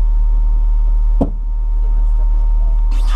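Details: 2007 Honda Fit that wouldn't start, after replacing the fuel pump module and reconnecting the battery: steady, even low hum of the small engine idling, one dull thump aside, no misses, ticks or whine. Normal idle.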